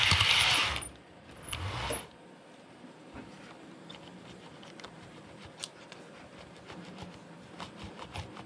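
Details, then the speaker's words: Realtrack Class 156 model train in SuperSprinter livery, squealing when run backwards after running in: bogie swivelled by hand gives two short shrill squeaks then faint clicks from one side's wheelset; owner suspects it needs lubrication. "So you can hear there, it definitely has a squeak, and I've narrowed the squeak down to this side."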